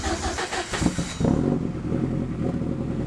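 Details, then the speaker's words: Car with side-exit boom tube exhaust started with a new silencer fitted; engine catches into a loud boomy idle with rough exhaust rasp; the silencer barely helps, still loud. "Still quite loud. What do you reckon?"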